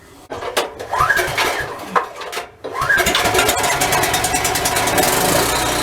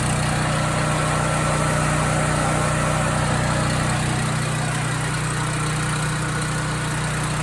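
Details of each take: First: Husky portable generator, previously stalling after about 5 minutes, with its carburetor removed, cleaned and reassembled, run strapped on a forklift. A few cranking pulls, then it catches and settles into a steady, even run with no surging yet. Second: Husky portable generator that runs about 5 minutes, then shuts off; cleaning the idle mixture jet didn't help, and the carburetor is to be cleaned next. A steady low drone with a slight rise and fall in speed and no settled governor note: the engine is hunting, cause unconfirmed.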